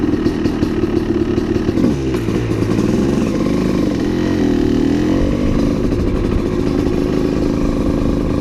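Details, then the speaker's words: Honda CR250 supermoto two-stroke with Mikuni carb, revved and ridden: ragged wavering note that sputters out at three-quarter to full throttle with no power up top, not a bog; rich jetting suspected before main jet change to 400. "because when I ride the bike it's crazy it has like no power up top and it just sputters out"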